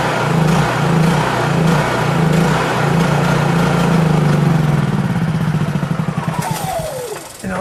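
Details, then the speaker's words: Honda EU3000is inverter generator after carburetor idle and economy-mode adjustment, fuel valve turned off: engine hunts up and down in slow waves, then stumbles and dies as the carburetor runs dry; surging from deliberate fuel starvation. "that surging was because I turned that valve off right there the fuel valve"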